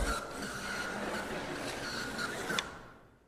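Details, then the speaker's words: JAG Hobbies HO slot car, GT chassis (823 gearing, 3.5 ohm armature, stronger traction magnets), run on track unoiled: high dry whirring buzz fading as it runs off; gears and bushings are dry, needs oil immediately. "It needs oil. Yeah, this car definitely needs oil. So if it sounds like that, guys, any slot car, you need to oil it immediately."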